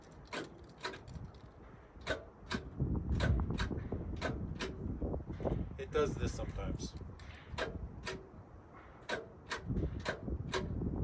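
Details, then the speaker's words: Old Ford tractor, first cold start attempt after radiator reinstallation, key on, fuel on, in neutral: the starter relay gives sharp uneven clicks, about one or two a second, but the starter does not turn. "you can hear the relay clicking but the starter's not turning well that's disappointing"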